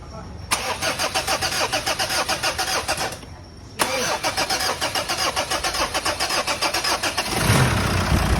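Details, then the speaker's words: Mitsubishi Montero 4D56 diesel after flywheel repair and reassembly: steady cranking about 3.5 beats per second over two tries, then it starts cleanly with no more ticking; the flywheel had caused the ticking. "wala na po tayong narinig mga boss na lagitik sa kanyang makina yun lang po ang sira mga boss ang kanyang flywell"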